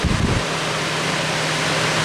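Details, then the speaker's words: Lakewood HV-18C 18-inch chrome high velocity fan made in 2006, large heavy duty motor, on 121.6 volts, running on low: even steady whoosh with low hum, no ticking or rubbing, fairly fast low speed, slight shake, not perfectly balanced. "And it's a decent low speed. It's kind of fast, but it's a powerful fan."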